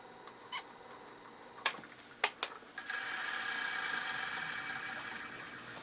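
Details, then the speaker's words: Electric motor (likely Aeolian, not Duo-Art) run alone without belt during function test of a used Duo-Art rotary vacuum pump: a few light clicks, then a smooth airy whir slowly fading as it coasts down; typical, normal rundown. "Typical rundown noise."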